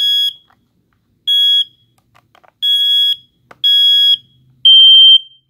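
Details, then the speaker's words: Hardwired ionization smoke alarm sounding; loud piercing high beeps about once a second, five in a row, alarm horn working normally. "this is an ionization alarm these these this is a hardwired one listen to its sound"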